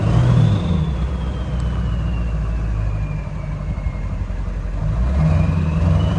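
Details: Ford 7.3 Powerstroke diesel, about 200,000 miles, bought as a used motor: deep, even rumble holding steady with no knocking or misses; running smoothly, later found no blowby, owner suspects intake restriction under load.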